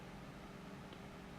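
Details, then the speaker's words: Arctic PC fan running on a test rig: a steady low buzzing hum as the fan vibrates against the table it rests on, from a poorly balanced, shaky motor/rotor. "hear that vibration against the table it's uh it's a shame because the motors and these are really um these have a shake a lot so it's not it's not good"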